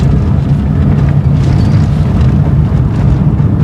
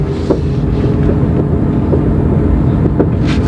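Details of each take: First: 2012 Corsa in fourth gear at about 20 km/h on a straight: steady low road rumble with no clicking or knocking from the front wheel, which had earlier been creaking even in neutral. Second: GM Corsa coasting downhill in fourth gear at about 20 km/h, also in neutral: scattered sharp clicks and pops from a front wheel over wind noise; owner suspected axle or wheel bearing; loose wheel nuts.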